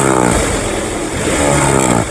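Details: 2001–2005 Honda Civic LX with a strange noise on acceleration: the engine revs with a rattly clatter over the note. The cause is a worn, expired timing belt tensioner.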